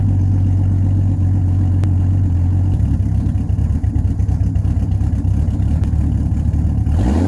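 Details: 1989 Jeep Cherokee XJ, 4.6 L stroker inline-six, with the bottom of the old muffler blown out, before its Flowmaster 50 replacement: loud, deep, raspy exhaust burble at idle, then a throttle blip with a booming drone.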